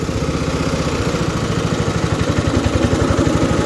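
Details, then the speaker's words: About 50-year-old MTD ride-on mower engine, burns oil, heard from seat with deck slightly raised: low even thumping about four beats per second, no stumbles or hunting; dead flat normal idle. "That's dead flat idle. Oh yeah, if you're sitting up here you can feel the notch."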